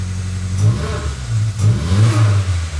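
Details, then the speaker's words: Nissan March Superturbo on jack stands after a new exhaust midsection was fitted (it sounded poor before): two quick revs give a deep, throaty, guttural note with no rattles or leaks; normal exhaust. "So much better. Sounds mad. It's deep. It's deep. It's guttural. Yep. It's throaty. Love it."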